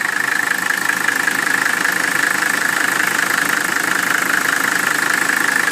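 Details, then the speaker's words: 1981 Mercedes-Benz W126 300SD with restored OM617.951 turbo diesel: steady, even diesel clatter at settled idle, no rattling, clanking or squealing; a healthy engine. "there you go the engine sounds like it should there are no rattling sounds no clanking sounds no squealing"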